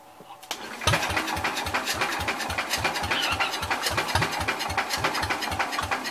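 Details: Old Cub (1953 or 1963) engine, choke still stuck, checking spark: steady cranking about three and a half beats a second with scattered catches, never fires up; cause suspected, not confirmed.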